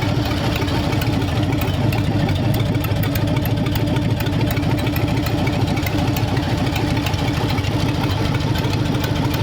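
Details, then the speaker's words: Hopped-up flathead engine in a 1932 roadster, about 10 minutes into running with 70 psi oil pressure: steady, even idle with a soft regular patter and no loud ticking; valve lash set correctly, valve train quiet, normal idle. "listen how quiet that valve train is Steve got that valve blash set up just right"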